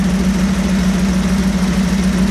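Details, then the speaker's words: 1937 Buick street rod, new BluePrint 350 V8 crate engine in break-in, with high-flow water pump, hot after a drive and cooling fan on: steady, even idle with a firm low rumble, sitting a touch high. "I got a high flow water pump on it, too, I put on it, but it's idling just a touch high now."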